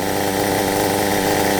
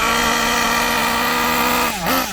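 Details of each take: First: Kyosho MP9 nitro buggy, standard two-stroke engine after tuning, near end of fuel: fast, even buzzing tick-over holding one steady pitch with no hunting or misses; idling cleanly. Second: Kyosho MP9 nitro buggy engine during needle tuning: steady drone that bogs and surges in lumpy bursts, sluggish from too much fuel; mixture too rich.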